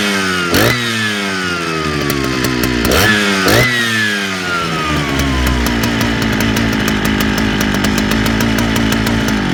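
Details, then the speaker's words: Large Jonsered chainsaw: the revs rise and sag unevenly, hunting hit or miss instead of holding steady. The owner suspects trouble keeping a steady fuel flow and plans to check the fuel line and replace the seals. Surging. "it's uh it's you can kind of hear coming in and out is hit or miss almost sounds like it's having a little bit of trouble keeping a steady stream of fuel so I probably need to check that out"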